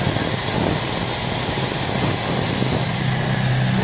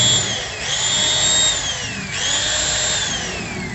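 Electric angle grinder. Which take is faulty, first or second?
second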